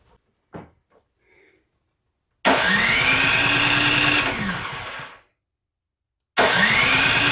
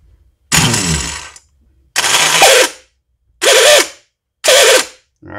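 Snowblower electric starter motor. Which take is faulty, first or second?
second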